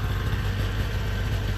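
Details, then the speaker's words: Small two-stroke 360 van, warmed up after a drive; low, even burble at steady idle with no misfires or rattles, smoking much less once oil burns out of muffler and exhaust; normal idle. "not that it makes me feel any better about the environment but uh it's smoking a lot less once the oil gets burned out of the muffler and the exhaust system"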